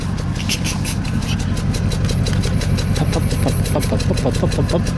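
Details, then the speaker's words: Engine idling with Autel scanner connected, no misfire codes stored: uneven idle with irregular stumble and lopsided exhaust beat, smells bad; misfire, scanner suggested faulty O2 sensor or vacuum leak, smoke test planned, cause unconfirmed. "I mean you can hear it see listen to the exhaust it didn't tell you that's she's not running right"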